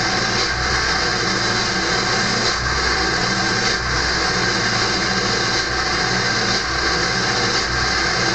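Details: Early 1999 Ford F-250, cold start at 34°F, high idle with the exhaust back pressure valve closed: loud steady hiss-whistle over a fast, even diesel idle; normal EBPV warm-up whistle.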